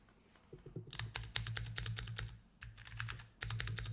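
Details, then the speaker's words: Keychron keyboard after applying nano tape to fix a hollow, tingy spacebar: crisp, even keystroke clicks with a solid low thock on the spacebar and no metallic ting or rattle; spacebar and keystrokes sound normal. "Oh, that's much better. What do you think, Lulu? Does this sound better?"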